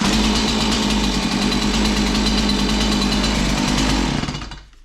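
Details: Warmed-up Stihl MS 180 chainsaw restarted with choke down one notch: catches on one pull and settles into a fast, even two-stroke buzz before shutdown; sounds healthy.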